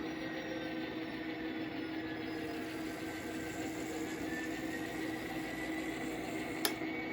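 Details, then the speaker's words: N scale MKT DC locomotive running with a Kato Sound Box: steady mid-pitched motor whine with a faint buzzy edge; motor noisy, owner thinks it needs cleaning, cause not confirmed. "it's also a little bit noisy you can hear the motor noise from here"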